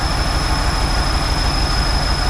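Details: 1969 Chevrolet Impala running on its own again after 20 years of sitting. Slightly uneven idle under a constant, unchanging high-pitched whistle; whistle at idle, air leak suspected but not confirmed.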